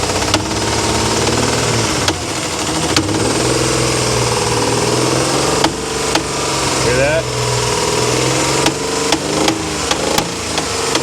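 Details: Towed-in Dodge Dakota 3.7 L, suspected overheated from head gasket failure, started with no water pump or accessory drive: uneven, lumpy idle with irregular stumbles and knocks every second or so. Runs rough, with a smell from the front of the block; no conclusive cause.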